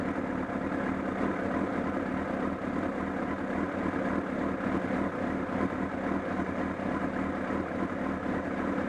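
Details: Honda CBR1000RR at idle at Sportsland Yamanashi: a loud, fast, uneven flapping chatter from the engine area that grew stronger, along with a loss of torque. Cause not yet known.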